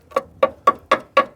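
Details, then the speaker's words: 2000 Rover 75 Club, 1.8 K-series, tap test on crusty sill where crust was picked off: six sharp taps about four a second, each ringing clearly rather than thudding dull; sill metal solid, not rotten. "even where I've just ped that crust off it sounds nice and what are you listening for what sort of noise is well if it's rotten it would just sound dull dull yeah but it's not"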